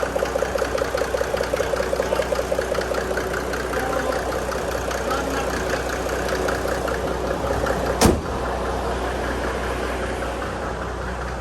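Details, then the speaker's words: Mercedes W463 G300 with OM606 diesel at idle, just fitted with a Sean Treacy stage 2 ECU; owner had no boost earlier from fuel starvation. Rhythmic tick-puff about 100 times a minute; a valve suspected not sealing, unconfirmed. "Sounds like the valve is like, doesn't have, it's doing that. It sounds like the valve isn't sealing again."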